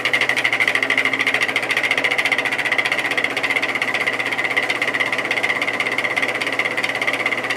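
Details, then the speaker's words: Vintage GE 3-speed reversible window fan (F11W3, 2.5 A) on high: a rapid, regular pulsing buzz over a steady hum; the bearing seems fine, with a long spin-down. "you get the point it's not sounding good at all and I'm hoping it's just a washer issue I think the bearing in this one is fine it has a decently long spin down time"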